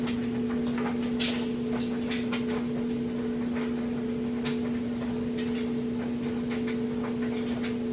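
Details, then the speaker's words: Kenmore electric dryer on timed dry with a load of clothes. Steady even hum of constant tone with light tumbling ticks and no thumps or scraping. Drum running smoothly and balanced, and it heats properly. "you can hear it sounds great [Music] nice and balanced no weird noises or anything like that"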